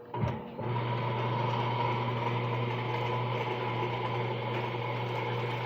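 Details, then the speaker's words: Washing machine motor after lubrication fixed a loud noise at startup: switch click, then steady low hum, spinning smoothly with no squeal or grinding. "Até é melhor. Tá girando bem ainda. Então era só aquilo lá mesmo."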